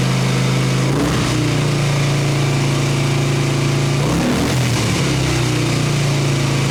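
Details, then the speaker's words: 1989 Harley Ultra Classic Tour Glide Evo, bottom-breather butterfly carb, on ancient gasoline: a fast high idle on full choke at about 3,200 rpm sags and stumbles, then picks up. It won't hold idle, and the cause is unconfirmed. "Full choke and idling at about 3,200. Is this what I get for being confident?"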